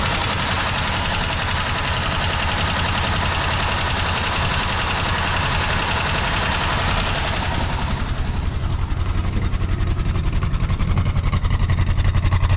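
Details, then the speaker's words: 1970s Chevrolet C-10 Custom, revived after about 30 years sitting, no radiator fitted: steady idle quickens and sharpens after about eight seconds as the idle screw is turned up, then stays even; it runs. "All right, guys, well, she is a runner and that is pretty cool."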